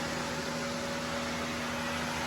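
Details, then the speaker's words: One new electric cooling fan on an 83 Chevy K10 with LS swap, jumped at the relay: loud, strong steady rush of air with constant motor hum, no ticking or wobble; pulls more air through the radiator than both old fans combined, healthy. "It's kind of loud. That's just one, and just one still pulling more air through that radiator than both them combined."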